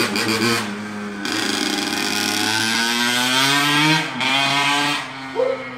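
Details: A 2003 Honda CR85R two-stroke on its first ride after a full motor rebuild, being broken in with heat cycles. The buzz is crisp, rising and falling smoothly with the throttle, with no knocks or misses. Normal, healthy running.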